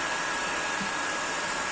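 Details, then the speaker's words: PS4 Pro first revision with year-old MX-4 thermal paste, case lid left open, after over 15 minutes of running: loud, steady airy rush like a hair dryer as the cooling fan runs hard, before replacing the paste with PTM7950 phase-change pad. "Що ж, пройшло більше 15 хвилин. Я вважаю, що цього достатньо. Консоль добряче розшумілася."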